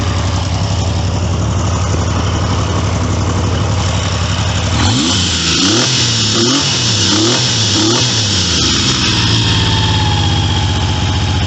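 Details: Triumph T150V triple after top-end rebuild (heads and cylinders off for oil leaks), started second kick: loud steady idle with several quick throttle blips rising and falling cleanly; runs even.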